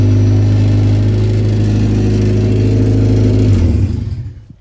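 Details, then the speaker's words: Race car after attempted fix of MAP issue, owner thinks an O-ring was the cause; out of gear: steady, even note for several seconds with no misses or stumbles, then clean shutoff; normal running. "right, so I think I fixed the issue."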